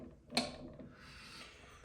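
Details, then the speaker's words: PRM Newage 40M2 gearbox from a Benford Amida site dumper during rebuild reassembly: a sharp click, then soft, even whirring of gears turned by hand with no grinding or knocking, normal gear meshing. "There is no noise. Listen to that. That sounds nice. That sounds like it's supposed to. These gears are meshing"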